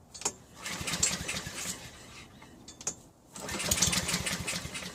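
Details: Honda HRN216 mower after drive belt replacement, on 3-month-old fuel plus a little 2-stroke mix: short ragged cranking bursts with brief catches and sputters that die away; struggles to start, old fuel suspected.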